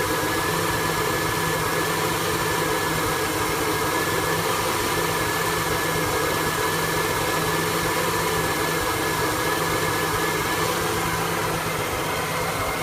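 V8 idle with a wavering, uneven low rumble and a slightly unsteady beat rather than a smooth lope; idling roughly. Cause suspected, not confirmed.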